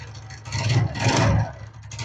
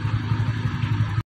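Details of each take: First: TVS Ntorq 125 scooter at idle: an uneven, low, loose rattling knock that rises and falls in slow bursts. The cause is a loose starter one-way clutch nut. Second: TVS Ntorq 125 scooter after engine noise repair (suspected magnet one-way clutch noise): short burst of steady, even low thrum with no rattle or knock before cutting off; sound now good, running smoothly.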